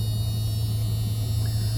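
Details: Ram extended cab, V10, 159,688 miles, hot 91-92 degree day: deep steady low idle rumble with no misses or knocks, faint door buzzer; smooth normal idle.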